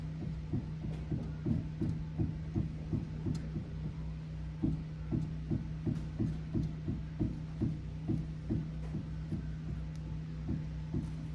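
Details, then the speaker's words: Jeep Grand Cherokee front suspension: dull, regular knocks about twice a second as the front wheel is rocked; worn lower ball joint rattling and clicking, with visible movement. "the ball joint rattling so the suspension where the strut is pushing down it's always pushing down so that allows that front ball joint to Rattle like this when the tire u"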